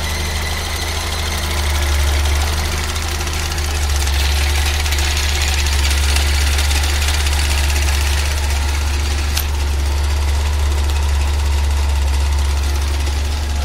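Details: Fiat Uno EP 1996: deep steady idle drone with a faint regular tapping about four per second; source unclear, abnormal engine noise.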